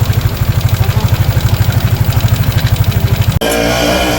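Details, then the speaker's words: Suzuki Sniper 155 Black Raven, about 10,000 km: fast, even clatter ticking several times a second on the engine beat; loose cam bearing and worn camshaft lobes found on teardown. "Ito yung maingay sa kanya mga boss. Yan yung naglalagitikan. Anong tawag sir? C bearing bossing small."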